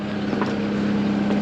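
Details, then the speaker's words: Caterpillar 299 compact track loader diesel idling after fuel pump replacement, lines previously packed with air: steady even drone at fixed pitch, no stumbles or sputters; healthy idle. "But she sounds healthy. I'm liking"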